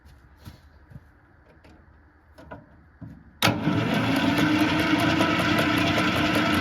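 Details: 1950s Fordson Major diesel tractor, start spray used: steady starter churn at about three to four turns a second with no firing or catching; cranks but won't start.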